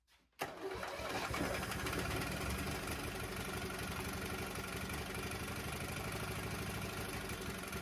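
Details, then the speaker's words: Traded 18hp Briggs and Stratton horizontal-shaft V-twin on a first start test, fed from a makeshift water-bottle gas tank with primer, throttle held well open and choke set: brief crank, immediate catch, steady even twin beat with no misses or knocks; runs healthy. "but everything runs like it should starts up good now and uh life is good man"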